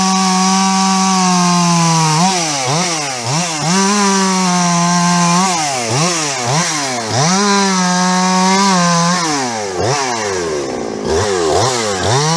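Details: Husqvarna 350 chainsaw "Fugly" with Huztl top end, back after months on the road and field repairs (gas leak fixed); steady idle into repeated throttle bursts, pitch rising and falling smoothly without stumbles: healthy running.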